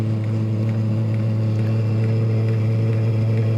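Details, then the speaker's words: 5–8 kW diesel heater (larger version) dropping back to its low setting after the lowest pump settings were raised, tuned with an AFR gauge: steady fan hum over uneven pulsing about three beats a second; rough, lean running. "it doesn't sound happy as weird all we've done is taking the lowest pump settings up"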